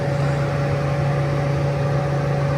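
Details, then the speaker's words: Heater fan in a skoolie bus fed by a 45k BTU diesel Webasto, wired through a line thermostat from the fuse box: steady even hum with a constant low drone, no rattles or surging; blower running normally. "The way I wired my fans on my heaters is I pulled a hot wire from the fuse box to this thermostat. It's a line thermostat. Anyways, when I turn it on, turns on the fan."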